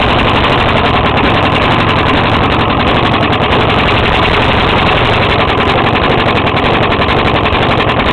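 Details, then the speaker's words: Five-year-old 4 hp Briggs small engine running: a loud, harsh rapid clatter. It is very hard to pull-start, and there is a hole in the intake tube at the carburetor that spits gas. Owner suspects rod knock, not confirmed. "think this got a rod knock actually cuz see it's really hard to pull it right now I think the rod inside blcks he here"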